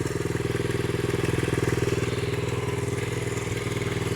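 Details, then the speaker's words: 1970 Honda CL100 single, about 11,000 miles, previously seized engine freed with cylinders full of ATF, now running without battery and still smoking; regular four-per-second putter, light even valve clatter, no misses; clean normal idle. "it's still smoking hopefully we get enough heat in it we'll clear it out yeah it sounds good"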